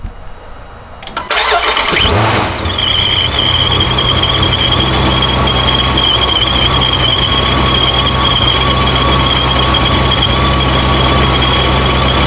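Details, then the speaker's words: Dodge Charger Scat Pack 426 with ProCharger, fired up after fixing a boost leak that had limited it to about two pounds of boost: it catches and runs steadily with a constant high blower whine; healthy running. "I'm gonna crank it up now and make sure it's holding boost I'm pretty confident will because that was off and now it's hooked up so we'll see how this goes"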